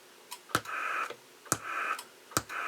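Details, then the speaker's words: Cobra 2000 GTL CB radio with enhanced receive audio into subwoofer, mid-range and tweeters: three sharp clicks with dull thump and short hiss when keying up and releasing; transmit switching thunk on the sub and clicks on tops, otherwise working. "The only thing, and I don't see it as a downside, is when I key up and let go, I get a little thunk on my sub, the speaker over here on the left."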